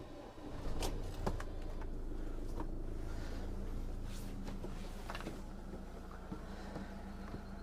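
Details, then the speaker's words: 2016 Rollerteam Auto-Roller 746 motorhome engine start: a few clunks, then steady low diesel hum with no knocks or misses; normal start, engine run so fridge works on vehicle power. "so i'll just go ahead now and just start the the engine and then that can be on as we're traveling along"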